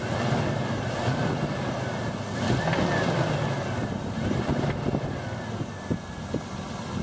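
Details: Mitsubishi Pajero after new rocker cover and spark plug well gaskets, new spark plugs and an oil change: steady idle with irregular sharp taps from the driver-side rocker cover, mostly in later seconds; knocking at idle, cause not yet found.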